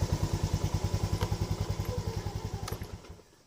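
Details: Yamaha Lagenda 115 Fi after throttle body service and adjustment, which fixed stalling: even putter at about three and a half beats a second, then switched off; healthy idle.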